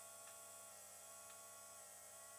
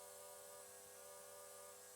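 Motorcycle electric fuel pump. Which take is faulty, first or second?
first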